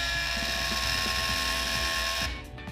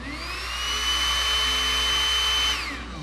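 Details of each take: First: Rotary hair brush's small motor whines steadily under a loud uneven ratcheting clatter as its broken fan (propeller) strikes while spinning; broken fan rattling. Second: Rotary brush after replacing its broken fan blade and clearing a blockage at the drilled hole: small motor spins up to a steady high whir with airy rush, then winds down smoothly, running normally.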